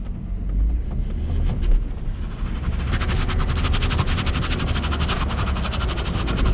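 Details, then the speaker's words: BMW E34 530i with welded differential creeping through a tight full-lock U-turn: low engine rumble under rapid repeated tire chirps as the inner wheel skips; car nearly stops and rolls back from the stress, causing wear and tear. "You hear that? That's just causing wear and tear."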